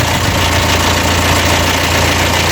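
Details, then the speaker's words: Audi TT Mk1 1.8T quattro 225bhp 6-speed manual at idle: a fast, dry metallic rattle up to about 2,300 rpm that fades when the revs are blipped. The oil-starved hydraulic tensioner loses pressure, so the slack timing chain slaps the timing cover. "so the charming timing chain is hitting off the time and cover and that's what's causing the rattle because of the chain tension and that's because of the chain tensioner is getting starved of oil often"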